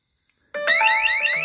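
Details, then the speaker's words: Govee WiFi water leak sensor tested by wetting its probes: sudden loud, high warbling beeps sweeping up repeatedly, the leak alarm triggering, with phone notifications also beeping. "you can hear my phone making beeping sounds because it's already notifying it through my email and the app."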